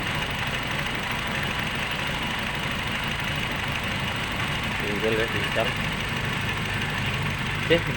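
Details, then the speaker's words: Nissan Livina at idle with the check engine light on; the idle wavers and stumbles under a dull hum, shaking the whole body, a rough idle traced to swapped front oxygen sensor wiring. "ya nahis mesinnya pincang ya teman-teman seperti itu ini bergetar sampai ke seluruh bodyi karena mesinnya mengerinjal"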